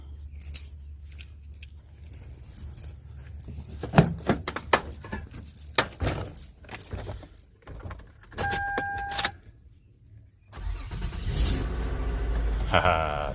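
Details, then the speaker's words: 2005 Toyota Sienna with a no-start; the starter was replaced two months earlier. Keys rattle, then the engine catches quickly and settles into a steady idle, so it now starts cleanly. "success. All right, guys. Just some random guy in a random driveway."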